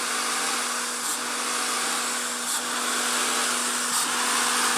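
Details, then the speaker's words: Honda/Acura J-series V6 at idle right after a fuel pressure regulator replacement: a loud steady hiss over the idle hum, a vacuum leak from a line left off the intake manifold. Reconnecting it fixed the sound. "that sounds like a vacuum leak so I obviously forgot to hook up something"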